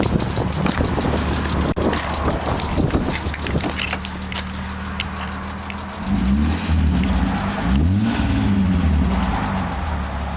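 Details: 1995 BMW M3 at steady idle with light quick top-end ticking, about four per second, suspected lifter tick. Changing to 20w50 oil to reduce it made the ticking worse.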